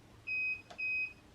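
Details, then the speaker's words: Sur-Ron Light Bee MX with KO Factory Spec controller, freshly updated firmware, during throttle calibration with an aftermarket throttle; two clean high-pitched controller beeps about half a second apart. Owner is unsure why it keeps beeping; calibration then succeeded. "Okay. There's the 1 beep. Okay. I don't know why it keeps on beeping, because in the video it stopped beeping."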